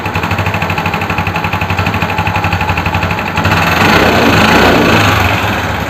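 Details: Suzuki Access 125 scooter engine noise problem: fast regular ticking about four per second at idle, then revs rise and a louder rattle fills in; source unclear.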